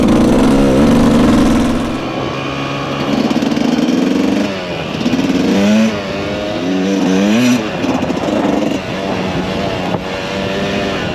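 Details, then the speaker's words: Refreshed 1999 Kawasaki KX125 two-stroke, ridden under load: crisp revving up and down with clean pitch swings, hits the power band, no misfire or rattle; strong and healthy. "This thing, whew, it just hits that power band and takes off."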